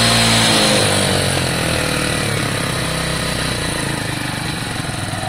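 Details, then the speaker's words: Lexmoto Valiant 125 converted from EFI to carburettor, original main jet, air filter on but airbox off; revved up, revs drop back slowly and unevenly, hanging on the throttle; owner suspects the carb and thinks the missing airbox matters. "Revs hang a little bit, don't they? A little bit. It's close."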